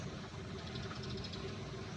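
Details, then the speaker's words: 2022 Toyota Wigo with low idle after a battery replacement: the idle hunts between about 500 and 900 rpm as the AC is switched on and off, a wandering, uneven hum. The throttle body is to be checked for dirt. "Doon bumaba malikot ang kanyang RPM."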